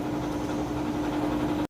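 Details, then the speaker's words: 3-year-old Whirlpool HE washer, heavy towel load, lid lock switch bypassed: fast smooth spin, steady mid-pitched whir with faint constant hum, then cuts off; healthy spin. "Nice, fast, smooth spin cycle there."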